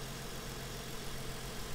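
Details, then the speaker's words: Engine at idle: even low hum with no stumble, shake or tapping; smooth healthy idle. "these aren't the prettiest engines but they're easy to work on and this sounds nice it's there's no jiggle to it"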